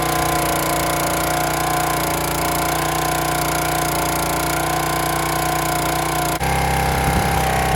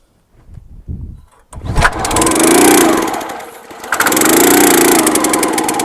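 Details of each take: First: County Line 25-ton log splitter engine, first start after cleaning out rust and water, draining and refilling the fuel tank and priming the carburetor. Small single-cylinder runs steady and even with no misses or knocks; normal running. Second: County Line 25-ton log splitter small engine, bought as-is, pull-started after starting fluid down the carb: catches briefly and fades out twice without holding a run; cranks but won't start; carb later found with rust and water, suspected plugged.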